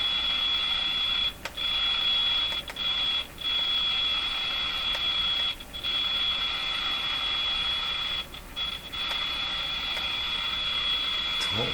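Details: Jewel Model 505 vacuum tube clock-radio during repair; steady tone drops out in short gaps as wires near IF can are moved, later found to be a factory-unsoldered wire. Intermittent audio from loose connection.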